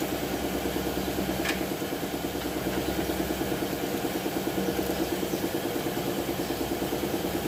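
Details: Nissan Navarra diesel with engine misfire code P0304 (cylinder 4), idling with an uneven, lumpy pulse near 190 a minute and occasional dropped beats; one cylinder misfiring at idle.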